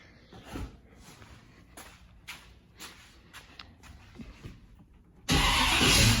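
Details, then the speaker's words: 1984 Chevy K10 with mild cam, converted from carburetor to Holley Sniper EFI: light clicks, then the engine catches at once and restarts, running strong and even; normal start and idle. "so it's running wizard comes on see fires right back up"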